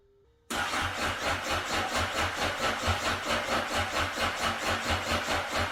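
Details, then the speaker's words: 2009 Honda CBR 1000 RR, bought unseen after sitting outside in an auction lot, battery not fully charged: catches and settles into a lumpy idle surging about twice a second. Rough running after storage. "I did turn it over last night briefly. Um, it didn't run very well, which is to expected seeing as it sat in an auction lot outside for quite some time."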